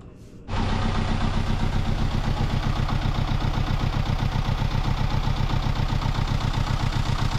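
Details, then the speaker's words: Sailboat diesel engine that had overheated, after new impeller fitted with handmade bicycle-tube gasket: catches at once and settles into a steady, even beat near four pulses a second with water circulating; clean, normal start and idle. "our engine is back in business with a new impeller hopefully without any problems overheating for at least another year"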